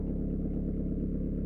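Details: Citroën/Peugeot 1.9 diesel with mechanical injection pump idling after valve clearance adjustment cured tight-tappet hard starting; steady, even low clatter with no stray knocks or misses.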